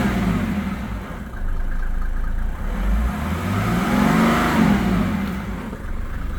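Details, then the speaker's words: 1987 Mercedes 300SDL W126 OM603 diesel running on diesel purge during the cleaning: it revs up and settles smoothly, much quieter, with the earlier clatter gone over a steady drone; normal diesel running. "I just gave it a few revs. It sounds so much quieter. The clackety is gone."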